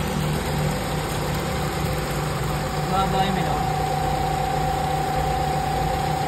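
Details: Carbureted Nissan B13 GA13 after a crank-only, no-start, no-spark fault, radiator fan wiring repaired back to the automatic switch instead of direct ignition feed: steady, even idle with a constant low hum, no misses or knocks, warming up.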